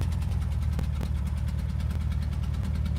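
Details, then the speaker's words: Van engine that needed a long crank before starting, with the mic windscreen off. An uneven, shaky idle with irregular low thumps a few times a second: rough idle. Oil wasn't topped off; cause unknown. "Can you guys hear very well? Rough, bro. That sounds like [ __ ]"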